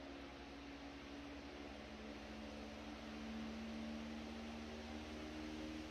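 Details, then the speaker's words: 100-plus-year-old restored Century S-3 Model 15 desk fan on high via dim bulb tester (200 W bulb, likely about 110 volts): soft even hum climbing slowly then leveling off, no rubbing or rattle; normal running. "I think it's still climbing. I think that's about leveled off where it's going to be."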